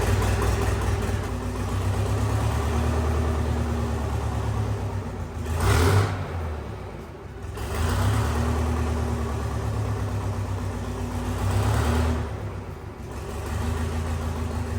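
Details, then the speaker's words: Detroit 8V71 diesel, taken from a bus and swapped into a John Deere 5020 tractor, run in the shop at about 11 below: steady rumble swelling twice as the hand throttle opens, then an even idle. After the governor was adjusted, the kill cable shut it off for the first time. "the throttle's going up and down with the hand throttle and for the very first time when we pulled the kill cable out we had it actually shut off with the kill cable"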